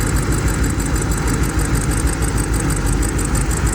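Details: 2005 BMW 645Ci E64 N62 V8 idling with an uneven, lumpy beat, about three stumbles a second, from a dead misfire on cylinder 3: melted coil, with the driver commanding constantly and not unlatching.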